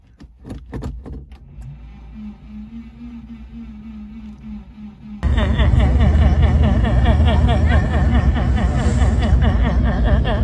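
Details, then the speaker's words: Subaru Liberty wagon that sat for years on a farm, tried in 40-degree heat: the starter cranks at a steady quick chug, about three beats a second, but the engine never fires. Owner suspects no fuel pump. "all right here we go it's winding but it's not doing anything"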